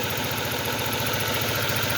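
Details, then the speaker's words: 2006 Ford Focus with hard starting and shaking despite new plug cables and coil pack: uneven idle with rhythmic stumble that smooths when the coil pack connector is pushed in; misfire from broken wiring at the coil pack connector. "At makikita nyo dyan, nagsishaking yan, pero pag itulak ko siya dito, itulak ko yung connector, like, kita nyo, tumitining yung tunog, walang shaking. Ngayon pag bibitawan ko yan, shaking yan. So dito ang sira, bad wiring, no?"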